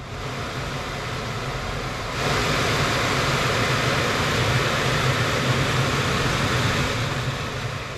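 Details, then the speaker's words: Crash-damaged Mercedes-Benz C200 under repair: blower runs with steady rushing air that steps up louder and stays even, no rattle or scraping, after a loose part and leaves were removed from the housing. "because this thing is quiet. It runs."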